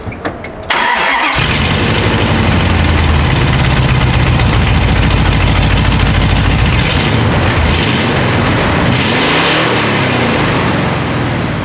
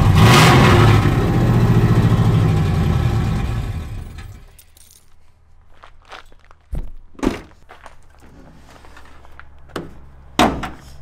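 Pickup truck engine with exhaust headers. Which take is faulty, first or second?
first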